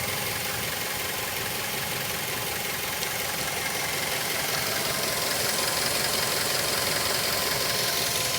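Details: 2006 Mazda3 s 2.3: around 3000 rpm a hissy, rough whirr with a faint even pulse near 160 a minute, heard better from inside the cabin. Abnormal engine noise, cause unknown.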